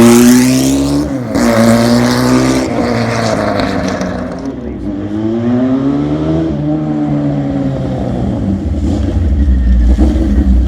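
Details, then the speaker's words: 1979 Kawasaki KZ1000 LTD engine, from a Z1 chassis, running: clean revs rising and falling smoothly with throttle, no knocking or bottom-end rattle; crank sounds good, though it smokes a little and may need rings after sitting. "I think I'm coming to the conclusion that it's a good runner bike but it's smoking and I think that chances are it's gonna need to center rings because probably been sitting there or maybe is getting worn out or whatever but the crank sounds good everything sounds good"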